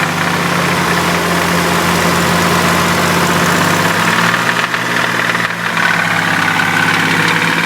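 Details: Nissan 300ZX, bottom end rebuilt three years ago, after a short vigorous motorway run: steady idle with a dull, even knock; no oil burning, revs freely, erratic oil pressure reading, owner suspects oil pump; engine knock.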